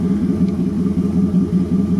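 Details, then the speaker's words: LuAZ engine warming up toward operating temperature after the distributor was adjusted: an even, steady low pulse with no knocks or misses. All cylinders are firing cleanly with no rod knock; it sounds healthy. "слышно чистая работа. Ничего не стучит."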